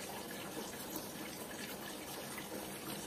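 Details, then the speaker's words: Combi boiler radiator being bled at its air valve: smooth, even hiss of water with no spitting or gurgling, so no air remains inside. Boiler pressure then falls slowly. "Eğer su sürekli bu şekilde akıyorsa normal. İçinde hava kalmamış demektir."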